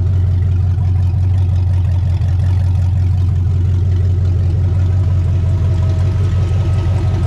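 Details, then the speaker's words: 2003 Chevy S10 ZR2 with built 5.7 Vortec 350 V8 on open headers, warming up after fixes: deep loud even rumble, steady beat, no knocks or misses; runs smoother than before, though idle not yet fully sorted; normal running. "I'm going to let it warm up just a little bit and see if it will idle oh man that's the first time it's moved in so long oh it's running good too"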